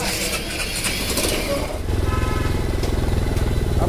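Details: Hero Impulse motorcycle after full service; ignition whirr, fires at about two seconds into steady even thump around three beats a second; normal idle.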